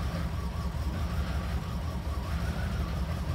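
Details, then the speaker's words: Flood-damaged Cadillac Allante first start after starter refit and fuel pump fuse installed: engine catches and settles into a steady, even low rumble with no misses or knocks; healthy start and run. "All right, fuel pump fuse is in. Come on, mama. All right, we got life."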